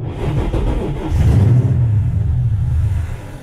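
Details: Toyota Tacoma with swapped 3UR-FE 5.7L Tundra V8, new ECU installed, key registered, cold, charger with crank assist: cranking catches briefly into a low roar then dies within about two seconds; starts then stalls, cause unclear.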